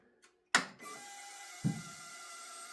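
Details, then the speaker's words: 2018 Harley-Davidson Street Glide after fuel filter replacement; the fuel pump previously whined very loudly: a click, then a steady, even high-pitched electric hum and a soft thunk as it builds pressure and shuts off. Normal fuel pump priming. "That's just normal. That's your normal pump noise right there. Okay. Uh that it would go to this point, shut off once it builds pressure."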